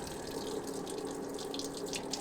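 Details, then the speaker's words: 4-turbo LS-swapped AWD Audi Quattro race car, bleeding the upgraded cooling system: electric coolant pump hum under gurgling, splashing and air bursts, pump straining and changing tune as lots of trapped air purges; air in coolant system. "There's the air. Now we got, I can't believe how much air is stuck in there."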